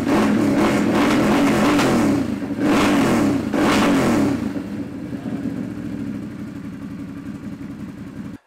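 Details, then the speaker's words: Can-Am Renegade 1000 after a starter solenoid/relay replacement for a no-start with the ignition fuse blowing: fires right up in neutral, no fuse blown, revs cleanly in strong bursts, then settles to a steady idle; sounds healthy. "don't know if you can tell but I'm super stoked I got everything hooked up and it fired right up"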